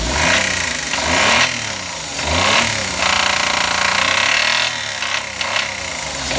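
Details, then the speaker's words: Engine revving with a loud, hard knock rising and falling with speed, persisting after 5 minutes' idling with Motor Up oil additive; owner suspects bearing (metal) failure, and the additive did not fix it. "多分これメタルねえぜ、きっと俺は。ダメでしたね。"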